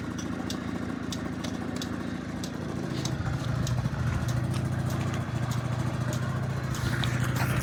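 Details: Honda Dio 34 two-stroke moped after budget repair with new needle bearing, fuel filter and exhaust gasket: steady idle putter about three to four beats a second, no knock or rattle.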